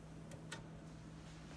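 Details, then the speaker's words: PreSonus AudioBox USB 96 with condenser mic, 48V phantom power switched off after repair: quiet noise floor, faint hum and soft clicks, no hiss; the white-noise hiss returns when phantom power is switched on. "you can probably hear the hissing is gone and then okay I'm gonna turn it on there's the hissing turn it off it goes away"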